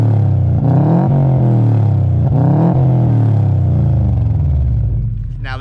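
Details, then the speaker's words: Subaru flat-four after getting it running again: strong, deep exhaust note rising and falling cleanly through several revs with no knocks or rattles; normal exhaust note. "what a Subaru should sound like well guys there you have it"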